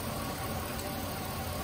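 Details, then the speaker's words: 2004 GMC Sierra 1500 5.3L V8 at idle: rough, uneven idle with irregular stumble; cylinder 5 misfiring, plug wire rubbed on steering shaft, burned through and arcing. "anyway we got 2004 GMC Sierra that is misfiring um it was running really rough earlier"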